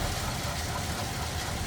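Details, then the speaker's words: 1941 Ford Super Deluxe convertible, flathead with single carb and 6-volt system, 41,494 believed-original miles, idling in neutral, heard from inside; pretty quiet, low steady rumble with no knocks or misses, healthy. "I don't know if you can hear that or not. Pretty quiet."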